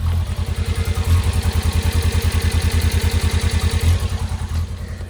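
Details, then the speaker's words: 1999 car being inspected for purchase, reportedly smoking heavily earlier: exhaust idle pulses about three times a second with uneven beats and dropouts; misfire at idle, cause not confirmed. "All right, the exhaust is clearly misfiring. Listen to this."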